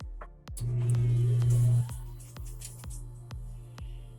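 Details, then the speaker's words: Pellet stove auger motor plugged in: loud steady low hum with faint regular ticks, motor trying but auger not turning; auger jammed by pellets, vacuuming out did not free it. "This auger turn. It looked like it wanted to turn, Right. but it is not turning."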